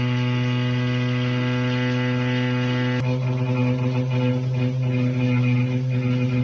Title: Anyone know why the shower is making that noise???? #help #plumber #plumbing #shower #water #home